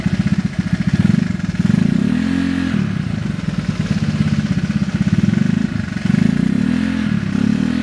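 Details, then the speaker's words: Honda Vario 110 carbureted scooter with newly fitted stainless R-One standard-racing exhaust: quick even idle pulses with light clatter rising and falling with revs; owner says engine currently ticks (ngeletek), cause unstated. "Kita sekarang bakal tes sound secara langsung ya knot R1 ini di motor varos 10 karbo cuman eh motor gua sekarang lagi ngeletek ya suaranya jadi e pasti bakal kedengaran sih suara ngeleteknya"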